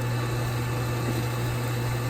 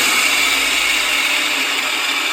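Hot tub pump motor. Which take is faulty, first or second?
second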